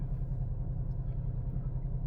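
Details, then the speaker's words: Ford Focus after fixing wiring faults on the driveway, which previously wouldn't rev up: low, smooth, steady idle rumble without misses, surging or knocks; engine management light off, only the seat belt warning, idling evenly. "So, there's no warning lights apart from the seat belt. Everything else is doing what it's supposed to do."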